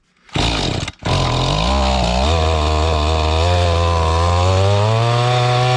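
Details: Mantis tiller small two-stroke, estate-sale unit in unknown condition, after high-speed screw turned out: catches with a blip, then settles into a steady buzzing run with rising pitch, running clean and strong; carburetor still needs fine adjustment.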